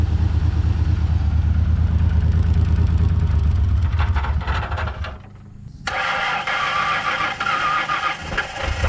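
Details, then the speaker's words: 1999 Ford Ranger first started after long storage, smelling of old gas and low on fuel: engine catches, then runs with an uneven, lumpy beat that dips and surges before settling. Rough running; owner feels it needs Seafoam, cause unconfirmed. "sounds like it definitely needs some seafoam"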